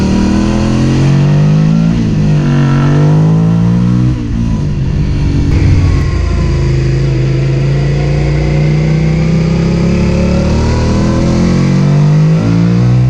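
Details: Suzuki SV650 engine revving up and settling: rough, uneven note with slightly irregular firing through the rise; sounds like a misfire, cause unclear.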